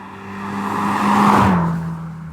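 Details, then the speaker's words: 2004 Subaru Impreza WRX STI Spec C Type RA, Japanese market, forged 2-litre flat-four with factory equal-length manifolds and aftermarket exhaust: smooth, even note swelling as the car passes, no typical uneven boxer burble; clean, healthy and not overly loud. "may have also noticed the fact that it doesn't actually sound like your typical Subaru. Now that's got nothing to do with the aftermarket exhaust. That's because this is an example of a Japanese market car, and these came with equal length manifolds from the factory."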